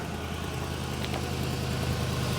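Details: 2004 Ford Crown Victoria ex-sheriff's car, V8 idling just after first start: steady, even low rumble with no knocks, misses or surging; oil pressure normal, battery charging, very slight exhaust leak noted.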